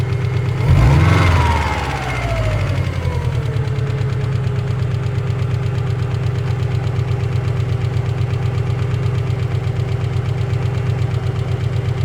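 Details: Cold engine start: fires up, revs flare, then settles into idle with a steady rapid knocking, roughly two to three per second; cold start engine knock.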